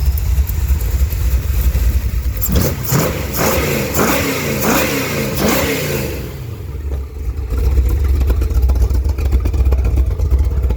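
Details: 1971 Chevrolet Cheyenne, factory big-block 454 V8 on Jegs Bandit EFI, first start, cam believed broken in, rear jacked up; revving with sharp ticking puff on exhaust pulses rising with rpm. Header leak at number two cylinder.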